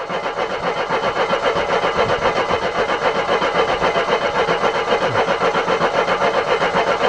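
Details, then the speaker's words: Mercedes W123, on a ramp, after fuel line replacement with petrol confirmed: the starter churns at a steady four beats a second and the engine never catches. Cranks, no start; the owner next checks cylinder 1 TDC. "Why aren't you firing? Come on, why are you not firing? I know there's petrol, it just threw petrol over the engine. Come on, car!"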